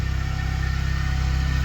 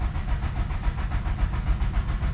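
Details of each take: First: Nissan 200SX project car, first time running on its own after sitting for a long time: steady, even low throb with a smooth, regular firing pulse and no knocks or ticks; clean, healthy idle. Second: 1997 Nissan 200SX (B14) sat about 10 years, cranked after reseating battery terminals; even starter cranking at about three and a half beats a second, engine never catches; no fuel delivery from a dead pump.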